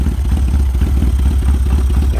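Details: Chinese 250cc ATV (Kazuma/Taotao type), not run in about 10 years: lumpy, uneven low idle that barely holds on full choke.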